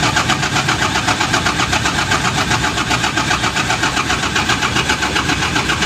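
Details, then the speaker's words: Mitsubishi Fuso 6M70 diesel after fuel filter housing refit, pressure regulation checked OK: steady rhythmic cranking about four beats a second for seconds without catching; still hard starting, new pressure pump plunger fitted next. "yun na nga mga boss Walang pinagbago hard start pa rin"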